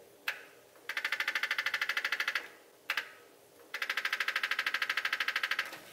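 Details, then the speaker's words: Truck with a Holley Terminator X using a duty-cycle trans brake bump creep, keyed on: a single click, then a rapid even buzz of about a dozen clicks a second as the solenoid bleeds reverse-circuit pressure; normal operation. "when I hit the button you heard that little that's the selenoid actuating and it slowly releases pressure off the reverse circuit to creep the truck forward"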